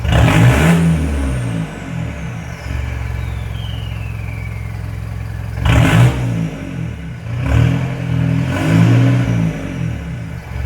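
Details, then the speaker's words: Mitsubishi Triton MN diesel after fitting a 3-inch exhaust with high-flow cat and no resonator: deep even idle with blips to about 2000 rpm, smooth controlled note, no rasp or leaks; normal. "So you've seen the car, you've seen it sitting here idling. I've revved it up a few times, anyway to 2000 RPM."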